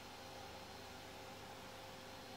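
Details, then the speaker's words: Cooling fan of a modified portable PS4 running at maximum speed, about 40 dB: steady even rush of air with no ticking, grinding or wobble; healthy. "Incidentally, even with the cooling fan spinning at maximum, it stayed at around 40dB."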